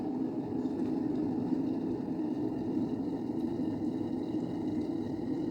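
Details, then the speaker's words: Electric kettle after disassembly and reassembly: steady, even bubbling rumble of rolling boil with no buzz or crackle; heating normally. "Here the bulb starts glowing, it means it has started. We can hear the voice of water boiling."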